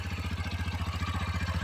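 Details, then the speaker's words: Romet Chart 125 OHC single-cylinder motorcycle after valve clearance adjustment: even low thump around thirteen beats a second, no ticking or clatter from the top end; normal idle with correctly set valve clearances. "tak powinien pracować silnik z prawidłowo wyregulowany Mii luzami zaworowymi"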